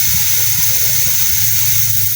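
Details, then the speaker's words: Polytron one-door refrigerator not cooling, compressor off: loud steady hiss of freon escaping from the cut capillary vacuum pipe shows a clogged system, the cause of no cooling. "keluar freon ya. Ini berbau freon. Oke, ini yang menyebabkan si kulkas tidak dingin, Teman-teman."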